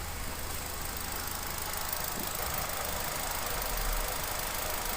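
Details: Hyundai Grand i10 1.2 petrol after repair of knocking and hard starting (valve/hydraulic lash adjuster problem): even, steady idle with low smooth hum and no knocking or ticking; engine healthy.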